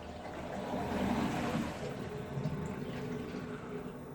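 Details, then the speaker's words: Galmet Airmax³ 14GT heat pump first start-up, hydronic circuit in the basement: uneven gurgling and trickling water in the pipes, bubbling a few times a second as remaining air clears; circuit then vented, leaving only the circulation pump hum. "no jeszcze trochę powietrza tu było w instalacji i tak jak widać A w sumie raczej słychać układ jest już odpowietrzony"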